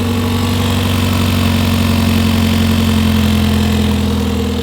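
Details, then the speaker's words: Hyundai Veloster N turbo petrol engine at idle on jack stands, just after a Depo Racing catless downpipe install: raspy, puffing chuff over the exhaust note from a leak at the downpipe, where two bolts are stripped. "So I kind of figured that there would be an exhaust leak, considering I don't think I talked about it, but that bolt, there's a bolt down there that's stripped, and then the one behind is stripped, the famous bolt that gets known for stripping. And then when I start it, you can hear the exhaust leak."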